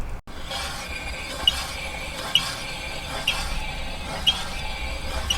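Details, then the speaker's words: Golf GTE rear brakes, discs just over three years old with grooves. A short high squeak about once a second over a steady hiss, one per wheel turn, heard when driving. The rear disc is not straight and rubs the pad. A grinding felt when braking is unexplained. Rear pads and discs are being replaced. "can you hear that that's what you hear when you're driving so clearly there's something wrong with this it's not straight um and that's why it's making that noise"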